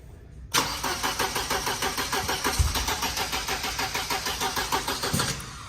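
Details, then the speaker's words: Mercedes 190E being built into Evo II replica, plug wires confirmed in correct order: steady starter churn about three turns a second, engine never fires; no start, distributor rotor suspected. "H this was confusing Jason and Ethan because they had all the wires in the right order so what could possibly be causing the car to not start maybe we should pull this off and check the distributor RoR"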